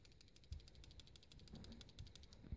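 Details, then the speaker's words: Samsung Galaxy S5 camera module: quiet, fast, even ticking about a dozen per second; store rep says the image stabilizer is not seated in place, a defect; phone being sent for repair. "I went into my local Best Buy and one of the Samsung rep said that it is this image stabilizer that is not in place this supposed to be some kind of defect"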